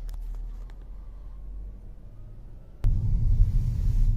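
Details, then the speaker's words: Mercedes C250 (W204) four-cylinder on a road test from a stop light after its engine mounts were replaced: soft, even low cabin rumble with none of the earlier drone at every engine revolution. Normal running, repair successful. "nice and quiet nothing like it was before another good example from coming from a stop light load it's nice and quiet"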